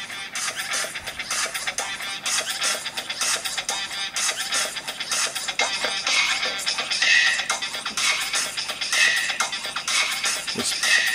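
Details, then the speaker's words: Apple MacBook Pro 13-inch 2009 playing music through internal speakers before replacement: harsh, crackly, very poppy and distorted with smeared top end; speaker blown, suspected overheated and melted after long music playback. "so i'm guessing actually overheated speakers only melted yeah so it's very very poppy and distorted"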